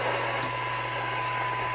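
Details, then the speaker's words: 1982 LCL Enterprise UK CB27/81 mobile CB radio after full receive alignment: faint steady test tone audible just above receiver hiss at just over 0.25 microvolts, better than manufacturer's 0.4 µV spec; sensitivity good. "okay so I've been through it a few times and I can now hear it down - that's not point three not point two five just over"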